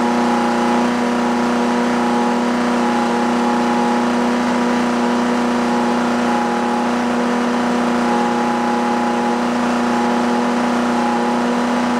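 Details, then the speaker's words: Puch Maxi moped, barn find that sat 22 years, during test and tune with idle now lower and settings unchanged: steady buzzing two-stroke drone that sounds flat and not crisp; still running rough, not properly tuned. "yeah it's still not there you can hear it in the way it's running still way too [Music]"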